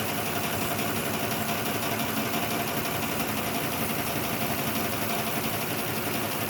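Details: 2006 Lexus ES330 idling unevenly with an irregular stumble about three times a second; number 5 cylinder still missing from a stuck-closed injector despite tapping on it, with only slight improvement. Injector cleaning planned next.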